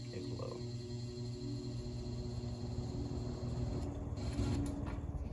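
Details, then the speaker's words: Restored early-1970s Eskimo 20124 fan, long non-working, motor since oiled: quiet steady hum with faint whine and low buzz on low and high; owner thinks the buzzing is vibration, fading at full speed; motor hum and buzzing. "now you can hear the hums a little bit on low on high there's the weird buzzing sound i don't know what that is i think it's vibration"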